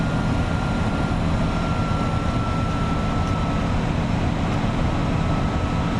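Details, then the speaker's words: Front-engined Iveco 170S28 Italbus bus at cruise, about 2000 rpm with a tailwind, heard from the cabin: a thin steady turbo whistle over the diesel drone and road rumble from a factory turbo fault, making the engine sound strained. "Estamos en plena recta y aceleración, viento a favor, así que el colectivo va en 2000 vueltas, normal, pero pareciera que va mucho más exigido por el ruido del turbo."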